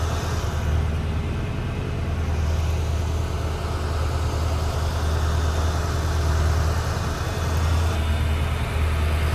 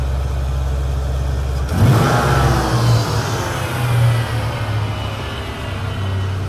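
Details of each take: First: 1993 Ford Mustang GT V8 during EEC-IV cylinder balance test: low rumble held at raised idle, speed sagging slightly as each of the eight injectors is cut in turn; no single cylinder clearly weaker yet. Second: 1993 Ford Mustang GT V8, EEC-IV key-on engine-running cylinder balance test: idle jumps to held fast idle, rpm dips and recovers evenly as each of eight injectors is cut; all cylinders contributing, normal.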